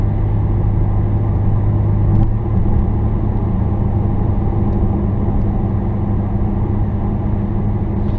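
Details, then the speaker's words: 2016 Dodge Challenger R/T Plus Super Track Pack on Atturo AZ850 275/40/20 tires, driving over broken pavement: steady low road rumble with no hum, whine or thump; car stays quiet, normal healthy tire road noise. "but i'm doing x amount of miles here and the car is quiet see little inputs on this broken pavement road"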